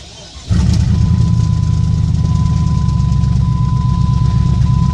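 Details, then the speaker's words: 2001 Jeep Grand Cherokee 4.7 V8, 219,000 miles, cold start after sitting three months, frame broken: fires after half a second into a loud, boomy low rumble because the exhaust is hanging; owner thinks it burns oil from bad valve seals. "when I got to start it it is loud because the exhaust is hanging all right so it happens"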